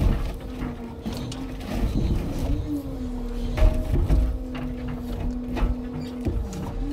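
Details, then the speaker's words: Scania timber truck's new log-loading crane loading birch logs: low, wavering snore-like groan rising and falling as the boom moves; normal hydraulic damping system noise. "Když pominu ten příšerný kvílivý zvuk, pak je tu jeden ze zvuků , který se mi na tomto novém jeřábu opravdu líbí, je to něco jako chrápání, ten hydraulický"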